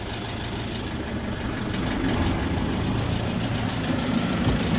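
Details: Rear differential after replacing all bearings, which was done to cure a whine, running in 5th gear with the wheel spinning: steady engine drone with no whine rising above it; the diff now runs quiet.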